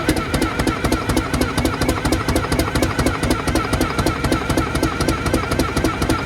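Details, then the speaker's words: Detroit Diesel 6V92 bus engine with a history of cold-start trouble, during valve and rack checks. Cold start is lumpy and chuffing at about four uneven pulses a second, with perhaps one or two cylinders firing. Cause unconfirmed. "We're at least going to get 2 more cylinders. Or I feel like we're at least getting 1 or 2 right now."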